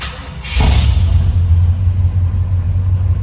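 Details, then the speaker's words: 1966 Ford F100 with 390 FE big-block V8, Holley four-barrel, C6 automatic: one pump, fires instantly and settles into a deep, steady, even rumble through open exhaust; normal cold start and idle. "Um the engine runs good. fires right up."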